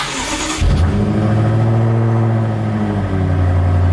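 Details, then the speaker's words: 2017 BMW M6 F13, first start after GT Haus Meisterschaft GTC stainless exhaust install (90mm piping, factory cats kept), cold start, exhaust valves open; loud deep bark then fast rumbling cold idle, significantly louder; normal. "it's definitely louder significantly louder this is after cold start valves are open as you can see"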